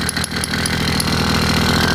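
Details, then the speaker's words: 80cc two-stroke motorized bicycle engine (YD100 jug) at rough buzzy idle with a sharp high chirp about every fifth of a second from the top; suspected air leaking past the head gasket, to be replaced with a homemade copper gasket. "so can you hear the chirping i know you can't feel it that's usually the sound of air leaking past the head gasket"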